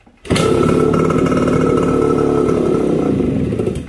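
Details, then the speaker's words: Suzuki AX100 (100cc) with the shorting ignition-switch wire disconnected: starts immediately and holds a steady, even two-stroke buzz with no misfire, running properly; switch wire making bad contact was the cause. "a bueno vemos que aprendió listo prendió la moto prendió ahí inmediatamente prendió"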